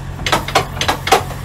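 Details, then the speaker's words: Semi-truck backed under trailer, fifth wheel engaged with kingpin, release handle pulled out under the trailer: four crisp metallic clicks about a third of a second apart; fifth wheel jaws locking normally. "tells me that the jaws are good that's the sound i want to hear"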